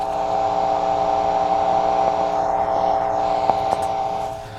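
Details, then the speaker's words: Carver C-19 tube preamp on the bench with no tubes installed: random sharp pops a second or so apart over a steady hum, jumping between left and right channels; popping. "you hear those little pops and they're randomly between the right and left channel"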